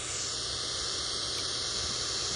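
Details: Ford Zenith 6-volt positive-ground tube car radio on the bench, vibrator running, tuned near 1 MHz with an antenna connected. Steady loud hiss with a thin high squeal and no station; the converter appears not to be running (IF 262 kHz).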